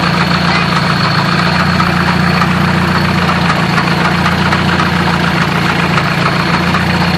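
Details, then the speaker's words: Manual transmission that lost all third-gear engagement after grinding while cruising in 3rd, heard at idle: rough idle with an uneven metallic clanking not tied to engine beat; owner suspects throwout bearing or input shaft, unconfirmed; battery light on. "I'm trying to feel right now where that clanking is coming from. And to be honest, I'm not feeling a whole lot. It might actually be the throwout bearing. This could also be the input shaft though."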